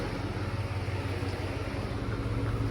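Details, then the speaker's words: 2002 Chevrolet Avalanche with a dual electric fan upgrade (Dorman 620-652), engine not yet at temperature: AC switched on, compressor clutch engages and one high-speed fan comes on, a steady even rush of air over a smooth engine hum; normal. "now when I turn on the AC my AC compressor clutch kicked on and then I have a high-speed fan that comes"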